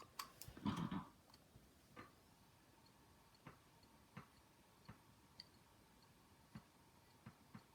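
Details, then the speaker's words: Hitachi 100 GB SATA hard drive: sharp dry clicks roughly every half second to second over faint hiss; failing drive, owner suspects a problem with the actuator arm. "this one does not sound good at all it's like there's something wrong with the actuator arm there"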